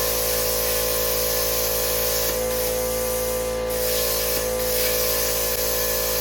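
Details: Bestarc 55A pilot-arc plasma cutter on wall outlet after extension cord blew the breaker: steady loud hiss of rushing air with faint constant hum, no sputter or dropouts; cutting normally.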